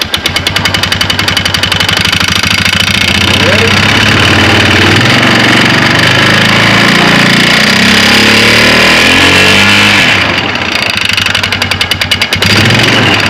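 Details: 2009 Polaris Sportsman 500 ATV, belt cover off: with the brakes locked, engine revs climb steadily in pitch while the drive never grabs. The CVT belt slips in a driven clutch whose rub blocks are completely worn off.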